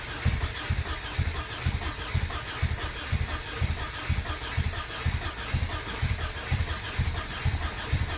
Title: Take 3 still no start ej257